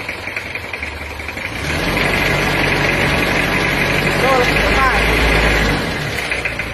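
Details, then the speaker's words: Toyota Kijang diesel after repair with the wrong pistons fitted: idle is smooth and even, but revving up and releasing the throttle gives a light tek-tek tapping, likely from the wrong piston choice. "Tapi setelah di lepas gas itu ada suara tek tek. Jadi digaseng cul gas lepas gas tek tek."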